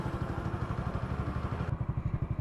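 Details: Hero Splendor single-cylinder after clutch housing (bowl) repair; even, steady idle thump with no rattle or clatter from the clutch side, running clean and healthy.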